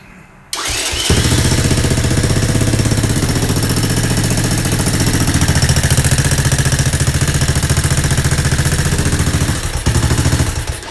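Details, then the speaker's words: 1984 Honda ATC 200ES after a weak/no-spark fault was traced to a bad stator; the replacement stator makes 46 V AC. It cranks briefly, catches and settles into a steady single-cylinder idle with light, harmless valve chatter. Normal start and idle. "Don't listen to that valve chatter. It's nothing. So anyways, that was the problem."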